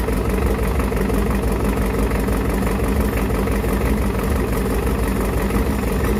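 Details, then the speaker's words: Ford 7.3 IDI turbo diesel from a 1993 truck, test run on a stand before a swap: steady, even low diesel clatter at idle about two beats a second; normal idle, seems to have oil pressure. "well it runs foreign"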